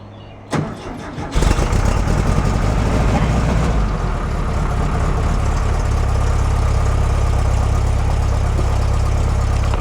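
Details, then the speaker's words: VW double cab, after fitting a charged battery: brief crank, then catches quickly and settles into a smooth, even, steady idle with no misses or knocks; fuel primed, healthy start. "like a kitten see if it gets a prime for fuel though yeah it is I'll let that warm up a minute"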